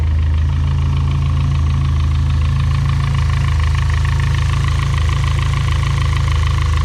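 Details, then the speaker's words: Built turbocharged engine at idle: fast, even light ticking about four per second from the top end (head/cam area); suspected valvetrain tick. "so that is the noise that i am talking about it is coming from the head and the cam and all of that or in that area"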